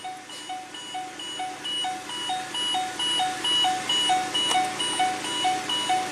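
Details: Mercury Mountaineer after ABS CAN circuit repair, engine started: two-tone chime repeating about twice a second without stopping with Service RSC warning; junkyard ABS module not programmed correctly, needing Ford As-Built calibration data.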